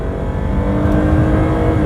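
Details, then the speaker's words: Free Lexus after electrical fixes, no dash lights, launched from a stop in full auto mode with the shift light tripping, up to 60: strong, smooth full-throttle pull, no misses, knocks or hesitation; doesn't overheat, runs like a champ. "all right here we go from a dig oh it tripped them that was cute i love the shift light when you're in full auto mode"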